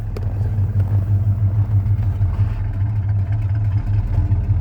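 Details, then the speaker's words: Ford 302 V8, restarted warm after running 20–30 minutes earlier, no PCV fitted: deep V8 burble starts well but the idle is rough, lumpy and wavering; exhaust is fairly quiet and the engine needs fine tuning. "i like it starts out pretty good but idle is not great on it"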